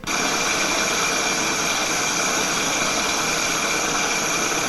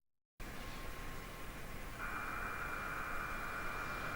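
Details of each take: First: Ultrasonic measurement of a bearing as it is greased: a rough crackly hiss from the dry bearing settles into a smoother, quieter hum as grease goes in. The bearing was losing its grease film and had reached its relubrication point. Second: Well-greased electric motor bearing heard through an ultrasound probe: only a soft, even hiss, nearly silent, with no crackle or impacts; reduced grease film would instead produce shocks.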